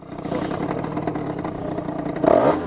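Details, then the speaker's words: Reiju MRT Trophy with 75 MVT Iron Max kit and Yasuni exhaust, running too rich and needing carb adjustment: small two-stroke holds high, steady revs with a rattly buzz instead of dropping to idle; sticking throttle not returning. "Ah oui, il revient pas l'accélérateur. Il revient pas l'accélérateur."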